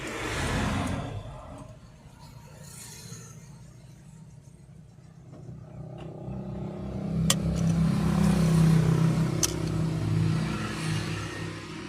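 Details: Car engine runs with a steady low knock, roughly four beats a second, that swells as it revs: engine knocking.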